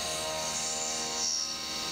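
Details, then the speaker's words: CNC milling an AR15 high rail gas block, 3D machining the lightening pocket: steady, even high cutting tone with no warble or screech as the cutter feeds; this identical pass unexpectedly doesn't chatter, clean cut. "now curiously on this path which is the exact same cut it doesn't chat i'm not sure what that's about"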